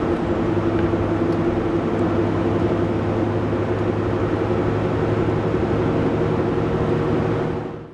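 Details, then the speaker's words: Range Rover L322 TD6 at 447,100 km, cruising from about 60 km/h: a steady continuous whine or hum from the center of the car over road noise. Transfer case or gearbox suspected; the gearbox is also slipping. "The first not good sign is this kind of strange continuous whining or humming noise, if you listen closely you can hear it."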